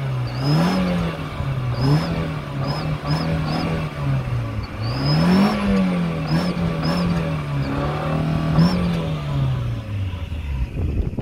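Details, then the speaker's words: Turbo refitted, nut only hand-tightened: engine blipped repeatedly with clean rev rises and no lasting whistle, sounding normal; belt chirps at each rev peak mask the sound; fuller whistle test planned later. "अभी तो ये बिल्कुल normal आवाज़ है, आवाज़ आपको भी clear नहीं आएगी क्योंकि बेल्ट की आवाज़ आ रही है।"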